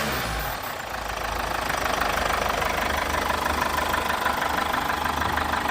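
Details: Chevrolet Captiva 2.0 diesel at idle: even, steady clatter with no extra noise; towed in after the dealer advised turbocharger replacement for engine noise, which was traced to the power supply for aftermarket daytime running lights; healthy idle.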